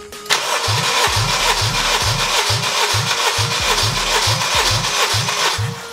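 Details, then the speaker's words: Honda K20 swap engine, warm compression test, fuel pump fuse pulled: steady cranking, about two even compression beats a second, all alike; five cranks read around 190 psi, healthy cranking compression. "and with five cranks we are looking at around 190 psi"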